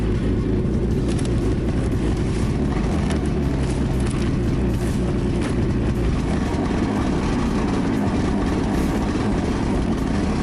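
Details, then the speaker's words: 2017 Ski-Doo Skandic 550 WT, 550cc two-stroke, tested after drive belt replacement: steady even drone with no slapping, squeal or chirp from the belt; normal running. "Brand new again. So that's how you change the belt on a Skidoo Skandic 2-stroke."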